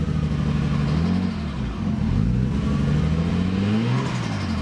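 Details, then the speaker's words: Nissan Skyline RB20 straight-six at first startup after an Audi R8 coil pack conversion, not yet warm: revving up and down with an uneven, stumbling beat like a constant misfire before it begins holding idle. "like a constant misfire actually now I think it's holding it"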